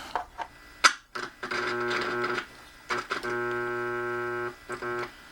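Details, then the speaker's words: Radio (Aliza) after finding the audio amplifier bad, tested on its own power supply on AM: steady low supply hum coming and going; mains hum, owner suspects a bad filter capacitor. "i think we have a bad filter cap that's what it sounds like it does work though"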